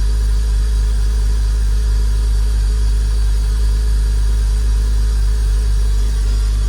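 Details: Porsche Boxster during cold start after a new aftermarket MAP sensor, white smoke, no check engine light, AOS suspected: deep lumpy idle with uneven throb that keeps wavering; owner says new sensor runs worse; rough idle.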